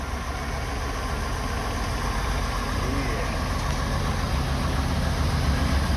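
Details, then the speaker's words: Ford 6.8 V10 after repairing blown-out number five spark plug, Loctite set overnight, morning start: even, deep idle with a smooth steady rumble, no stumble or ticking; running cleanly. "now that's what we like"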